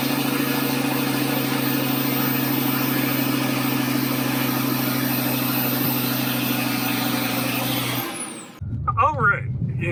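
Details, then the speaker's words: 2012 VW Beetle after an engine swap, done because of a slack timing chain and metal in the oil: an even, smooth petrol idle with no knocks or misses. It starts easily and runs fine. "Everything seems to be running just fine. It's nice and smooth. Starts really easy."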